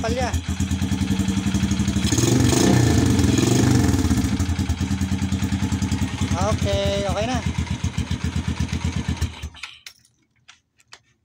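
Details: Honda XRM motorcycle that misfired and charged weakly, test start after rewiring with a jumper wire to the battery during a full-wave rectifier/regulator swap: starts, revs up, settles to an even beat with no skips or pops before shutdown; runs cleanly.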